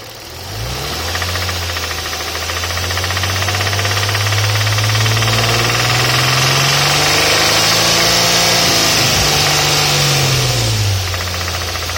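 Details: Infiniti G35 with a deep steady knock at idle that grows heavier with revs. It comes from cylinder 2, where the connecting rod spun a bearing.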